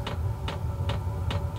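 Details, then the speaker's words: Portable diesel heater during startup in an insulated tent: sharp ticks about every 0.4 seconds over a low hum, fuel pump priming, quieting as vent airflow takes over; normal. "you'll hear the clicking at first but it does deaden out after it gets going here so it's just priming right now"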